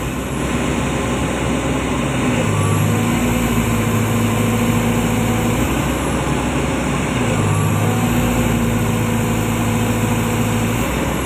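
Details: Komatsu PC200-10M0CE excavator diesel, about 3000 hours, history of CA2249 and CA559 faults, just serviced, P mode around 1800 rpm as arm is raised: deep even drone holding speed under hydraulic load, no hunting or stumbling; healthy.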